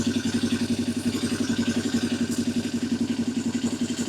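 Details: 1982 Yamaha XS250 Special 250cc twin before carb balancing: lumpy idle pulsing three to four times a second with uneven beats; the carburettors are unsynchronised.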